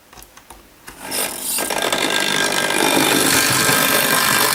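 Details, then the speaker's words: Hornby Dublo LNER N2 tank locomotive running with a loud, rough, rasping buzz that is far noisier than the other engines. The cause is unclear, and the loco is going on the bench to quiet it. "engine that's a noisy Beast isn't it I think I better put that on the bench and see if we can't make that run just a little quieter"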